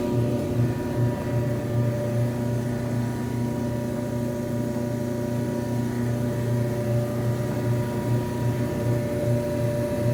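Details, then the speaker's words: Electrolux front-load dryer EIMED60LT3 after repair (rollers, tensioner pulley, blower wheel serviced), final test: steady even motor hum, smooth drum tumble, no scraping, heating properly; normal dryer operation. "as you can see, got this puppy working properly. No noises, it's heating, all that type of stuff."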